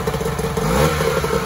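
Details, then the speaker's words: 1994 Mariner 30 hp two-stroke outboard running in a test bucket after a carburetor clean and lower unit service. A short burst of clatter picks up cleanly when the throttle is blipped. Normal throttle response. "she revs up when she's supposed to"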